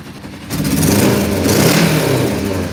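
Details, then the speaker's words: Motorcycle started cold in snow, earlier sounding like one cylinder on high choke: rises from a low murmur to a strong, steady run with no misses or stumbles; owner says running perfect, purring like a kitten. "it's running perfect. Listen to that thing, it's purring like a kitten."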